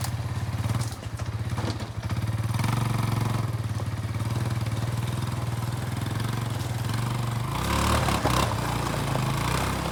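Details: Barn-find Kawasaki Bayou 220 ATV on test drive after repairs (filthy carburetor cleaned, new battery, oil and air filters, rear right wheel bearing and seal): steady single-cylinder thump, even low firing, smooth pull as revs rise; running really good, no issues.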